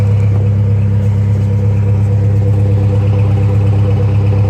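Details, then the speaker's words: Saab Aero after head-gasket replacement, piston 3 previously failed: starts but idles rough and unevenly with deep throb and faint clatter, heavy smoke appearing; oil and coolant still mixing, cause suspected not confirmed; misfire. "it started up okay sounds rough yep here comes the smoke here it comes"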